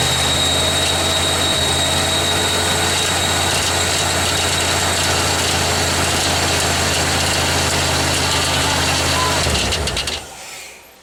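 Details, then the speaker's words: 1987 Ford Bronco, first start just after engine install; loud harsh clatter pulsing about four times a second with a faint high squeal until shut off, sounds awful; belt tensioner possibly not tightened, source unclear. "I don't think you tightened up the belt tensioner. That's automatic. It's like, Yeah, it does that. okay, it sounds awful."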